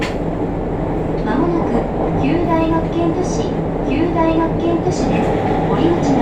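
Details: JR Kyushu 303 series K01 set, car 4 MoHa 303-1, recorded above Hakata-end bogie on rapid 1623C between Shimoyamato and Hatae with internal mic: heavy groaning hum rising and falling with motor speed, strong vibration over rail clatter; abnormal traction motor groan, cause unknown.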